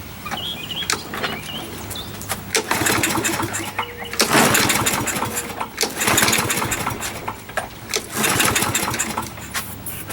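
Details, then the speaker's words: Used 21-inch Murray push mower with its air filter missing, pull-started with starter fluid: repeated bursts catch briefly and fade without settling into a run. A dirty carburetor needing cleaning is suspected. "All right. Yeah, dirty. We gotta clean that carburetor out."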